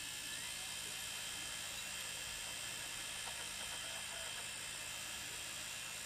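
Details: Wii U console making a steady, high-pitched whir with a thin buzzing tone that never changes; persists with the rear cooling fan unplugged and the optical drive unplugged, so neither is the source; abnormal internal noise of unknown cause.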